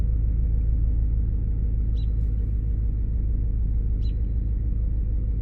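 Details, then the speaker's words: 2006 Lincoln Town Car idling during a scan-tool self test: deep rumble with an uneven, lumpy pulse about three beats a second; codes P0351 and P0354, owner suspects ignition coils and plugs. Ignition misfire at idle. "I just heard the engine I felt the engine come down and feel that little bit of a rumble almost feels like something's misfiring I bet you're gonna have to do ignition coils and plugs let's probably just do them all"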